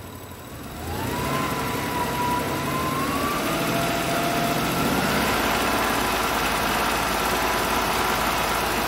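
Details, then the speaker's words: Honda truck with code P0108: engine held at 2000 rpm, a steady even hum with no rise and fall; the earlier rev hunting is gone. Normal steady speed at 2000 rpm. "ahorita ya el motor se siente decente ya no se siente que está en la revoluciones para arriba y para abajo"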